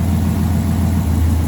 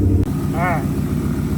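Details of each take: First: V8 idle logging P0352 (ignition coil B circuit): lumpy uneven thump that intermittently misses then recovers; cause is loose pins in the coil's Molex plug wiring, fixed by repinning/replacing the plug, not the coil. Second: Idle after fixing recurring P0352 code: loose pin in coil pack wiring, Molex plug pin cut, recrimped and re-locked; engine now idles clean, steady even low rumble with smooth regular firing, no misses or stumbles.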